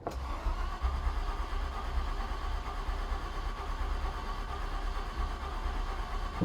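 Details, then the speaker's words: Ford Galaxie 500 after its first run: slow, uneven starter churning for several seconds that never catches. Engine is flooded with fuel; owner blames the carburetor as not suited to the car and considers cleaning and heating the plugs. "she's flooded what that carburetor is not really good for this car"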